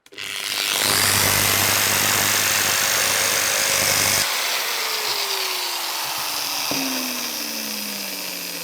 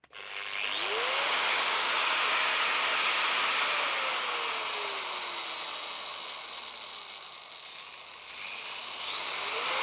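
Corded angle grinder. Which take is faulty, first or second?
first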